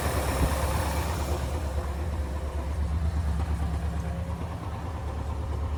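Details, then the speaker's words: Holley 4-barrel carb after adjusting the fast idle (choke idle) screw back about a quarter turn, cold start: smooth, even low rumble held steady at about 1,000 RPM with no hunting or misses; healthy fast idle. "Just from sound, that sounds a little better. It's 1,000 RPM. I think that's good."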